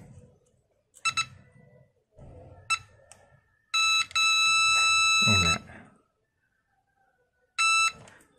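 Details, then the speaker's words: Simple 9-volt continuity tester buzzer touched across an LED: short, shrill, clean beeps each time the probes touch, steady tone, no crackle; LED conducts and lights, working normally. "mau ngetes ini nyala atau tidak tinggal sentuhkan saja nah nyala toh suaranya"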